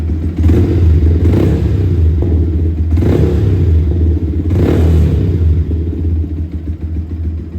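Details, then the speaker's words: Yamaha R15 V3 at about 12,000 km, previously missing with low fuel average, after throttle body and injector-area cleaning: a steady idle with crisp blips that climb and drop back cleanly, no misfire, noticeably more power. Normal revving. "पहले से power बहुत ही ज़्यादा difference है, missing नहीं मार रही है और बहुत अच्छी तरीके से चल रही है।"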